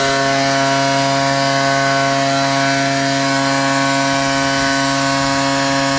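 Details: Ryobi 38cc two-stroke backpack blower, after a cold start with choke: steady high drone holding constant at full throttle, smooth and even with no misses or surging; normal full-throttle run.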